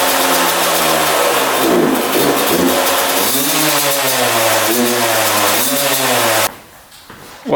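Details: 2001 Yamaha YZ125 two-stroke, first start after fresh top-end rebuild, new pipe and cleaned carb: revs with pitch sagging and surging back, idle hangs high; owner thinks extremely loose parts let it suck air.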